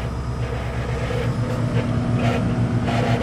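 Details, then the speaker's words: 1978 Bluebird Wanderlodge FC31 original microwave heating a cup of water on high: steady low hum with rough irregular buzz; owner suspects the timer; microwave otherwise works. "it's making some funny noise i think it might be the uh the timer"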